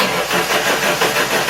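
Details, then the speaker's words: 1980 Dodge Dakota 4-cylinder with 5-speed, sat a year and a half, first start on electronic ignition and fuel injection: harsh, clattery rattle right after start-up, loud like a diesel; sounds like no oil pressure, oil not checked, cause unconfirmed. "that sounds like a diesel or no oil pressure oh yeah I couldn't even tell did you check the oil no well it sounds like there's no oil"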